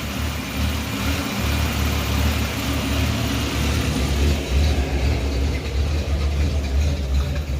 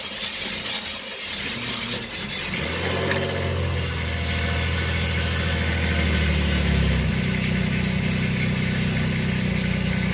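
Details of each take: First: 1989 Chevrolet Celebrity 2.8 V6, 173,000 miles, lower intake gasket failure, warming up: low, lumpy, loping idle so low it sounds cammed; smells rich, owner suspects bad oxygen sensor. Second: 1989 Chevrolet Celebrity 2.8 V6, 173,000 miles, first start after replacing a failed lower intake manifold gasket, run briefly before oil change: brief crank, catches quickly, settles into steady even idle with no knocking, ticking or missing; normal start and idle.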